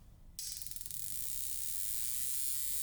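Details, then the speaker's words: Brand-new NGK spark plug for an Audi R8 fired in a plug-testing tool simulating up to 9,000 RPM; fast even crackling snap building to a steady high buzz with no dropouts, normal consistent firing. "This is what a perfectly working spark plug looks and sounds like."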